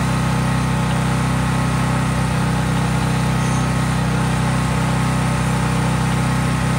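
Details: Craftsman 5000-watt generator outdoors after a cold start, at full speed with no load (only an LED bulb plugged in): a constant, even low drone at fixed governed speed, no misses or surging; normal smooth running.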